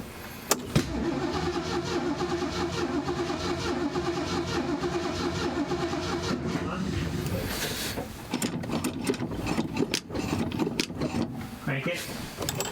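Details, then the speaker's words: 1970 Ford Mustang Mach 1 V8 barn find, stored since the 1980s, automatic swap, cranking before the carburetor was fueled: lumpy, uneven cranking beat. Suspected low compression in one cylinder; a compression test is planned. "when it was cranking over, it wasn't cranking over evenly. It was so it seems like it's got low compression in one cylinder."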